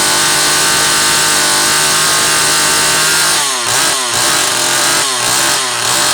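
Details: Zama C2002 carburetor from a McCulloch Pro Mac 800, tested on a 54cc engine with different linkage and no idle screw, so it won't idle; needles turned in about half a turn; strong even high-revving scream with crisp blips; running fine.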